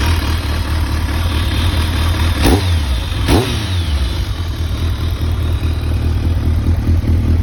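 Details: Kawasaki ZRX1200R with exhaust outlet blocked by a rag to check for abnormal noise; muffled, even idle with a steady low beat, no ticking or knocking; normal idle.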